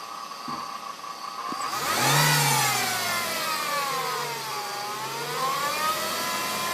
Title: w210 transmission whining noise